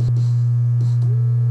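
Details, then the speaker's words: 1965 Packard Bell solid-state AM/FM console stereo on the bench, powered with audio input: a loud, constant low buzz at all volume levels. A main filter capacitor measures 12 V AC ripple and is the likely culprit; the fix was recapping the amplifier. "that one's not bad 0.15 volts 12 volts ac ripple on that capacitor that is probably the main culprit"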